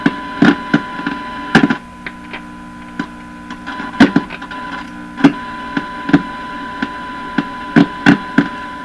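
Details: Hallicrafters TW2000 radio during IF transformer alignment. Sharp, irregular clicks and pops break through a steady tone and hum, from silver mica capacitor breakdown (silver mica disease). Capacitors are being probed, starting from the volume control input.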